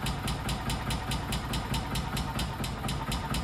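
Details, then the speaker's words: 1999 or 2000 Kawasaki Mule 550, first start after about a decade in a barn and 2-3 years without running: a slow, lazy putter, just caught and barely idling, with a possible slap from the engine or belt. Very slow idle. "A real slow runner."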